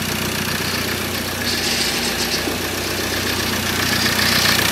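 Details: 2013 Ford Ranger 2.2 TDCi, first start of newly fitted recon engine: steady diesel idle with even light tapping about four per second as fresh oil gets round; normal, no leaks.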